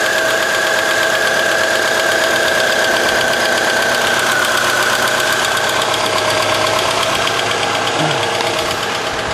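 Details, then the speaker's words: 2001 Chevy Cavalier 2.2L after starter motor replacement (old starter spun without engaging the flywheel): steady, even idle with smooth belt whir and no misses, knocks or squeals; engine now starts and idles normally. "Oh, there we have it. So she's running now. Alright, so that was our problem, the starter."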